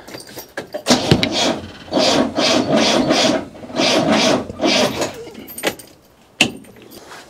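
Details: 1972 Rover P6 2000 after starter wiring repair: rhythmic starter cranking in bursts of about one beat a second with no firing, because no fuel is getting through, only fumes.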